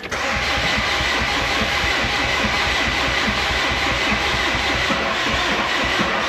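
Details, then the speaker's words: 1999 Mercedes Vito diesel, first start attempt after 15 years off road, using Easy Start; starter turns over slowly and steadily, picks up fuel but never catches; owner suspects cranking too slow to compress fuel (needs about 200 RPM); no start. "the fact that you can hear when it picks up the fuel, but it then just turns over really slowly. I think it's I think the engine is turning over too slow to compress the fuel."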